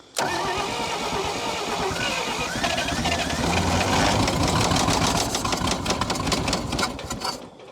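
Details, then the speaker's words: 1952 Dodge Power Wagon petrol engine on its first start after 16 years buried; runs roughly with a heavy, uneven knock about four a second; rod knock suspected, oil pump working. "Oh yeah, that sounds like a quite the rod knock."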